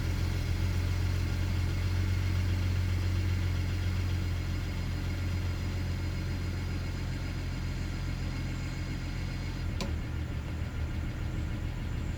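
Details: BMW E90 335i cold start in the morning: idle hums and wavers up and down, dipping unevenly over several seconds; misfiring from bad fuel injectors on cylinders 1 and 2.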